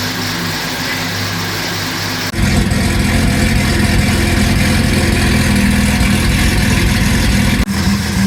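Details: 2010 Camaro SS with turbo Vortec 4200 inline-six swap, very first start, no coolant in yet: fires straight up after short crank, then holds steady even idle with slight throttle; healthy start.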